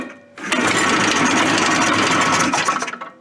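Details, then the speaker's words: Suzuki Fury snowmobile two-stroke with ignition trouble: buzzy engine fires and runs a couple of seconds, then sputters and dies abruptly; kill switch wire barely touching metal was arcing and grounding out, cutting the ignition. "that thing starts throwing the arcs and all of a sudden it starts running if you touch it completely it shuts it off completely"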